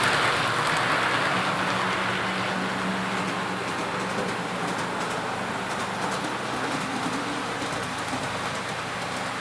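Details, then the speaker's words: Athearn P42 model locomotive no. 156, test run after lubrication while hauling 3 cars as a light load: steady even motor hum and wheel rumble, no stalls, surges or grinding. Runs smoothly, considered fixed. "Alright, well, we ran it, and ran pretty good 3 times in a row, so I think it's safe to say that the locomotive has been fixed. It's lubricated, it's running fine. Everything's good."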